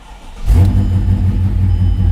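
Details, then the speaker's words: Mercedes M113K engine after its carbon- and fuel-soaked spark plugs were replaced: short crank, then it fires at once into a smooth, deep cold idle. Normal cold start, though something is still making it run very rich. "it fires right up. This thing is cam. This is a cold start. Beautiful firing up"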